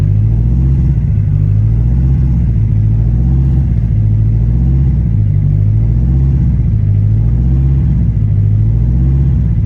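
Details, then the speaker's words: Newly built 1000 hp turbo engine during cam break-in after first start, rpm varied up and down, oil pressure and coolant temperature good: deep even rumble with no knocks, misses or rattles; running healthy. "So we're just doing our cam break-in right now. Letting the RPM vary up and down. Oil pressure is good."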